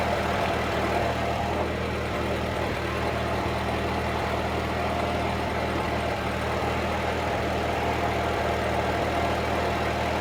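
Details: 1946 Ford 2N tractor under restoration, idling after a battery fault was found as the cause of earlier trouble and charging confirmed on the gauge: steady, low, even idle with no knocks, misses or surging; healthy.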